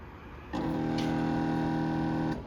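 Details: York outdoor AC condenser with a cooling call and contactor pulled in: steady electrical buzz for about two seconds as the compressor fails to start, caused by a bloated failed 30/5 run capacitor.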